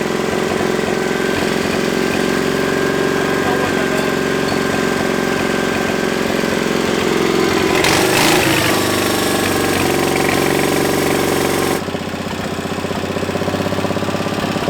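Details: 700cc twin-cylinder military standard engine built 1987, long-stored and possibly never run, after restart: steady idle with an even beat, no knocking or misses; settles and runs smoothly.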